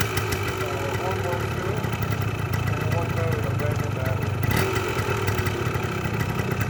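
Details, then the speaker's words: 1981 Yamaha DT175 air-cooled two-stroke enduro, described as perfectly tuned from idle to redline: crisp, even idle with a steady low burble, no misses or rattles; healthy. "Bike is perfectly tuned, and it will wrap from clear and clean from idle to red line."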